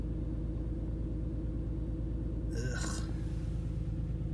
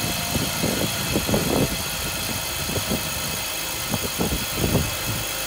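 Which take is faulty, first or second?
first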